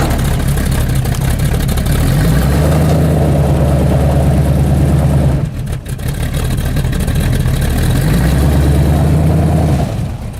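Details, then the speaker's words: 1983 Chevy C10 Silverado V8 on its first drag strip runs, before transmission and stall converter upgrades: deep rumble climbs slowly in pitch off the line, then picks up, cuts and repeats; sluggish launch, cause not confirmed. "Pay attention how the RPMs wrap up really slowly from launch, and how it was a dog off the line. And I want you to notice how you can hear it really pick up after a little bit."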